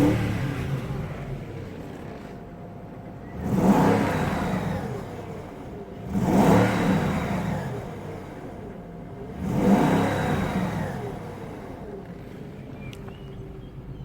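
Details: BMW X5 M62TUB44 V8 after timing chain and guide replacement: three clean throttle blips rising smoothly and settling to quiet even idle, no knocks or rattles; owner hears slight belt slipping sound and suspects belt tension.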